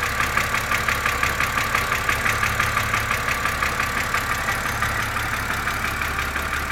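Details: BMW Z4 2.5si at cold idle: a crisp, even tick about three times a second over a smooth engine note; source unknown.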